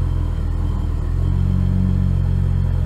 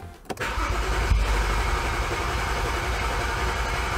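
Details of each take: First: 2011 BMW E90 xDrive, rebuilt N55 with Stage 2 turbo and 8HP45X swap, after fixing crank-no-start: fires up much nicer, smooth even idle still adapting, AFR 14.4, no check engine light. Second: 2011 BMW E90 xDrive, rebuilt N55 with Stage 2 turbo and 8HP45X swap: starter cranks with no start, fuel pump not heard; DME codes rail pressure sensor and terminal 87 no voltage, later traced to a blown DME fuse and faulty rail pressure sensor.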